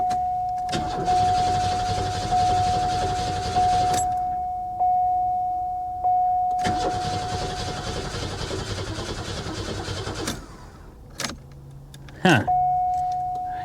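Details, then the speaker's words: 2002 Ford Thunderbird at a salvage auction yard, on a booster pack; several long bursts of steady starter cranking but it never catches: cranks, no start. The fuel pump is suspected to have finally died, unconfirmed. "i don't want to kill my booster pack i still have other cars to look at um maybe the fuel pump is finally completely died"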